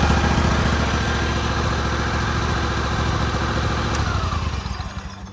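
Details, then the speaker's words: John Deere LX188 after pushing the displaced governor pin back in: single-cylinder thump settles into an even, steady idle with no hunting or surging, then winds down; governor fix restored normal idle. "So I pushed it all the way this way, went to start it up, and it ran normally."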